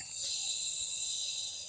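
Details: Starcam gas regulator, under a month old, leaking: steady high-pitched hiss with no pulsing as gas escapes at the manometer, its known weak point; fixed by replacing the manometer.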